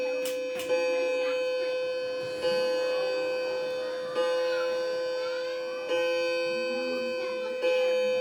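Clear bell strokes roughly every 1.7 seconds, each ringing out and fading evenly before the next; a normal, healthy chime.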